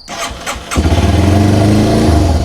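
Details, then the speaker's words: Cold Yamaha TW200 single-cylinder with an intake vacuum leak cranks, catches on choke and settles at a much higher idle speed, a sign of the vacuum leak. "So that's definitely another indication that you have a vacuum leak, is if the RPM is a lot higher."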